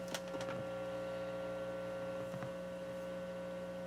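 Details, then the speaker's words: Dual 506 turntable with a broken, high-resistance phono cable, replacement cables tested through a small amp's phono input: steady low mains hum with faint buzz and no music; hum pickup in the phono cable. "And I've been just going through and testing different cables to see how they reject hum. And this one's not bad."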